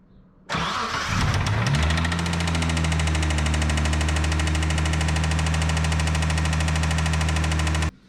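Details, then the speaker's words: Mitsubishi VR4 at cold start before teardown: catches and idles with sharp regular tick about four per second, sounding near a rod knock; noise sometimes vanishes when warm, owner believes failed lifters. "Alright, so you guys know how nasty that sounds. And again, the reason why I believe it is lifters is because some of the times that I've warmed it up, that noise goes completely away and then it comes back. So I know it's a lifter."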